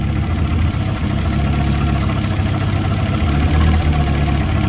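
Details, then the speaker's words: Fiat Punto GT Turbo, unstarted over 12 months, idling after a few minutes' warm-up: chopping idle whose revs surge and dip; carb cleaner spray revealed an intake manifold air leak, gaskets likely need replacing. "can you hear that chopping noise so i'm going to know a bit of carb cleaner just to see if there's an air leak anywhere yeah so we've got an air leak on the intake manifold somewhere"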